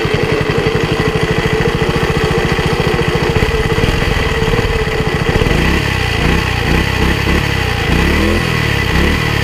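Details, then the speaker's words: Single-cylinder walk-behind tiller in overly wet soil: putter starts even, then turns ragged as the tines dig in, revs sagging until it stalls; owner suspects carburetor or throttle/choke plate adjustment. "но когда фрезы опускаются в землю он почему-то глохнет То есть вероятнее всего требуются Какие Ну настройки карбюратора либо заслонки"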